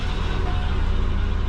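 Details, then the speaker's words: Subaru Forester flat-four idling after a low-mount exhaust fit and a relocated O2 sensor bung, with fuel trims still correcting. The low idle is steady and even with a smooth hum and no knocks or misses: normal idle. "but nice idle that game that won't move yeah sitting reasonably good with everything"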